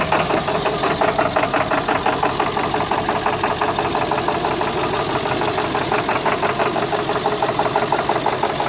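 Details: 2000 Ford 7.3L Power Stroke diesel with no power and white smoke: rough idle, clattering with an uneven loping knock about three a second; misfiring cylinder suspected, not confirmed.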